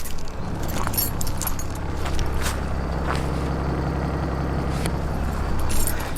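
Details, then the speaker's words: Cheap Chrysler 300C after a drive: ignition shows off and the keys are out, yet the engine keeps idling with a steady low drone. Radio and instrument cluster also stay on. Cause unknown; engine keeps running after switch-off. "the car's still on. Hold on. Near it. Keys are in my hand. I don't quite know how to fix this one."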